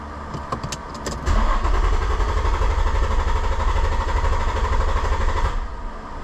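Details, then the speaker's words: 2006 Infiniti G35, 200,000 km, rough idle after new spark plugs, bank 2 trims +15–25%; clear-flood crank for about four seconds at a steady even beat, no odd strokes, compression sounds balanced; later blamed on bad fuel injectors. "and sounded pretty even to me that's not to say you couldn't still have a mechanical issue"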